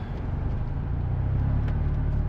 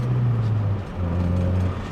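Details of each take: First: 1989 Honda Prelude Si with code 14, warmed to operating temperature, no throttle: deep low idle drifting up and down, still all over the place; idle air control valve tested electrically within spec but manual points to it being mechanically bad. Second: 1989 Honda Prelude Si test drive after throttle position sensor replacement: steady, even low engine note pulling smoothly with no hanging revs or surging; runs and drives properly.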